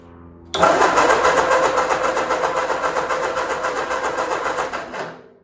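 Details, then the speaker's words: 1946 Ford 2N tractor, rebuilt with new piston rings, cranking after reassembly: starter churns steadily at three to four compressions a second, never catches; spark tester shows no spark despite power at the coil. "After all that, we don't have spark. All right, we got power to the coil, so that's good."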